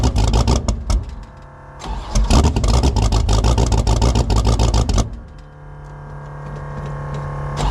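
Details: 1984 Fox Body Mustang drag car, about 350 hp, 878 CFM carburetor, no choke, cold start at about 20 degrees: ragged bursts as the engine catches and stumbles, then a lumpy, unsteady idle; hard cold start and rough running from the oversized carb.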